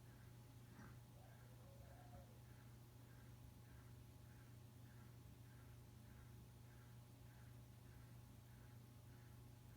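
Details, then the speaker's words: Encon Petite 30-inch ceiling fan from 1999 on high after oiling: faint soft ticking about three times a second over a low hum; bearings less stiff but still noisy from age. "the bearings are not as stiff anymore but sounds pretty much the same"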